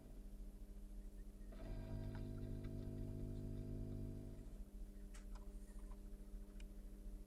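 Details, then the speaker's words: Fender Pro Reverb tube amp after 240V conversion, bench test with microphone in cabinet; low steady buzzing mains hum with stacked tones, changes with volume but not tone control, so source lies upstream of audio circuit, not yet found. "I turn the tone control the hum does not change so the hum is not in the audio circuit or at least Upstream of it anyway"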